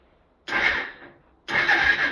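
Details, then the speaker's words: 1995 Suzuki GN250 left outside about 15 years, battery hooked up, cylinder possibly dry: two brief even starter whirring bursts, engine turns freely without binding or clunks, not seized. Normal starter cranking. "okay we're not seized up start sounds good switch her off"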